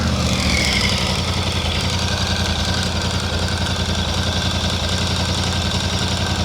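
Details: VOGE 800 Rally twin after a hard, muddy, wet adventure ride idles just after cold start with a light metallic clatter over the steady beat; a tensioner piston slow to charge is suspected, so wait or consult the dealer.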